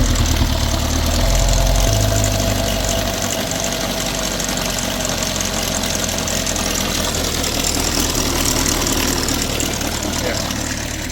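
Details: Ecotec engine that died while driving and was towed in, found nearly out of oil and refilled with muddy-looking oil, restarted; rough uneven idle with dull knocking over a low drone; oil starvation damage, cam correlation codes suspected.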